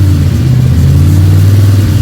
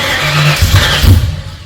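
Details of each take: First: Freshly built 302 Cleveland V8 with a Holley Sniper and electronic distributor, about 20 minutes into cam break-in: deep, steady burble with smooth rises in revs and no knocks or rattles. A healthy engine running in. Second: Freshly rebuilt Ford 302 Cleveland V8, Holley Sniper injection, new electronic distributor, first start: cranks and fires unevenly, stumbling and surging before catching; owner suspects lifters needed to pump up with oil.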